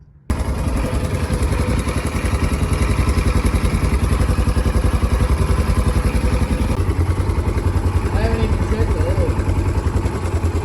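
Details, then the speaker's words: Polaris Ranger 900 XP side-by-side, hard to start with a loud motor noise, fired after oil put down the cylinder on a chilly day; valve clearances suspected: rough fast idle with a light metallic rattle in the top end. "I can hear what you're saying that a little bit of rattle like you can barely hear it right there I it definitely sounds like it's in the top right here though"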